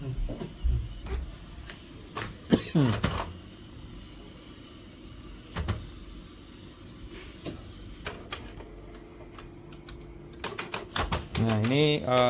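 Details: Canon G1010 inkjet printer at power-on after an experimental fix for error 1300 (ink cover closed, connector replugged): motor whirs rising and falling with scattered clicks as the carriage homes; startup sounds normal.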